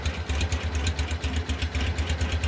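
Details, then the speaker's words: 1956 VW Beetle, dual-carbureted engine with 48 Webers, A1 exhaust and straight-cut crankshaft gear: even, choppy flat-four idle with a faint steady whine on top, normal straight-cut gear whine. "it's got a straight cut uh crankshaft so you can kind of hear that whine a little bit"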